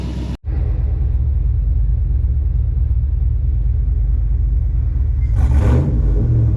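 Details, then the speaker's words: High-mileage 21-year-old GMT800 Chevy Silverado/GMC Sierra 1500 V8 on freshly installed used long-tube headers: deep, steady idle rumble, then a clean rev blip falling back smoothly; normal idle and revs. "This thing sounds good. Yeah, I am a fan."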